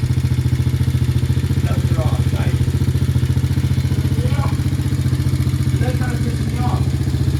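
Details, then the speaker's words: 125cc Chinese quad (Honda 125 design) after carb repair: hard start, stalled after minutes from dirty pilot jet, crud in bowl, leaking mixture screw; cleaned and sealed; steady single-cylinder idle, ran 40 minutes smoothly; normal idle. "The thing sat there and idled and ran for 40 minutes. Not a problem, not a hiccup. Nice and smooth."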